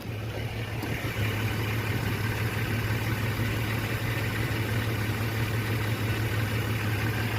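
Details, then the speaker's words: 1989 Jeep Comanche Eliminator, 4.0L, AW4 automatic, while driving: low drone with uneven skipping pulse, misfire of unknown cause; suspected bad or missing thermostat keeps it from reaching temperature, oil pressure good. "I couldn't tell you why but it started misfiring a little bit"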